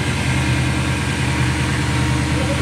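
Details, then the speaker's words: Ford Courier (Mazda) ute with Toyota 3UZ V8 swap and A650 5-speed auto: low, lumpy idle with uneven beat and dropped pulses, a misfire; thought related to the air intake setup, found dirty and cleaned. "c'était ici nous avions un raté n'a pas tourné quelque chose à voir avec cet air"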